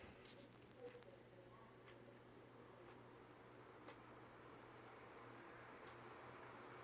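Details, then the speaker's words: Vintage Windmere (Kuo-Horng) 16-inch oscillating desk fan NR-16/413, oiled bearings in good shape, oscillator engaged, on low; quiet steady motor hum and soft air rush, no clicking or grinding from the oscillator. Normal running. "medium sorry about the shakiness there shaky hands again okay and high and spin down from high so yeah overall really great fan very happy with it"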